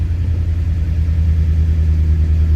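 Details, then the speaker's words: 1962 Chrysler 300 Sport that had sat for 15 years, idling just after a morning cold start: deep, even low rumble with a steady fast-idle beat and no knocks or misses, a healthy engine warming up. "that is a cold start."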